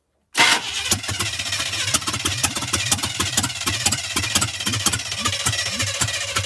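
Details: 1985 Chevy K10 parts truck, fuel added, spark unchecked, a few squirts of fuel given: steady starter cranking at about three even compression beats a second, never catching; cranks but won't start, owner then adjusts timing.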